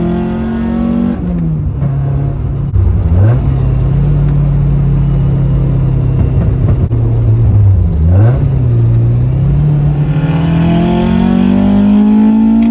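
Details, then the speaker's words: Toyota TE72 wagon with 4A-GE 20V swap and new driveway-built exhaust without muffler: deep droning boom rising and falling with revs, filling the cabin; quieter than before but droney, owner may add a resonator. "um so General consensus is the exhaust is quieter uh not as quiet as I'd like definitely kind of droney and uh really I just wanted the exhaust to almost be like stock car quiet"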